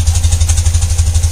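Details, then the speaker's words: 1995 BMW Mystic twin, carbureted, sat a couple of weeks, just started: deep, even lope at idle with steady, evenly spaced pulses and no clatter; healthy, smooth-running. "Oh, listen to that. Sounds great, doesn't it?"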